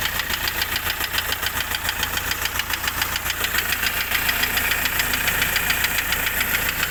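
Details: Hyundai i20 engine running with a sharp steady ticking knock about three and a half per second; engine knocking, cause not pinned down.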